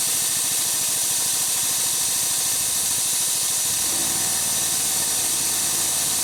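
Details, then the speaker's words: Harbor Freight engine-driven V-twin compressor, new pump, cutting out near 125 PSI after refilling from 90 PSI in about 2.5 minutes: loud steady hiss of unloader venting while engine drops to idle; normal unloading. "so that like hissing sound that you hear is the unloader it's venting out all the air it's not filling up the tank I need to drop the pressure so the tank can f"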